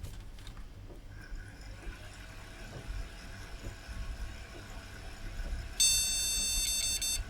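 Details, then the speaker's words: Retro AT PC after reseating its original graphics card: a quiet stretch, then one long high beep near the end as POST fails, graphics card still not accepted. "note doesn't like the graphics card"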